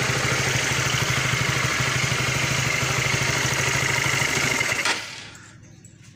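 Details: Supra GTR 150 motorcycle after repair (throttle body refitted, TPS position adjusted, air filter neglected) for stumbling when the throttle was snapped open: engine idles with a steady, even beat for about five seconds, then shuts off.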